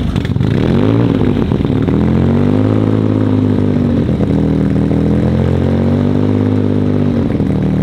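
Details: Audi RS4 sedan with freshly built engine on only its third start, tuned on the fly while an oil smoke/leak issue remains unresolved: loud steady note with wavering pitch and uneven hunting; rough running.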